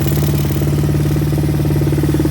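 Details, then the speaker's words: 1986 Honda TRX200SX quad, revived after neglect, idle set up high: steady single-cylinder putter with no misses or surging; air filter rotted, parts to be ordered. "runs okay okay now that we got it running i'm going to order up some parts"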